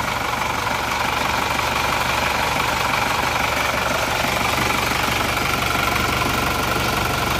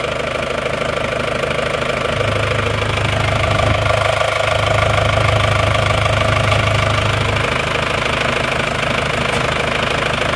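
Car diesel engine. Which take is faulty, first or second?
first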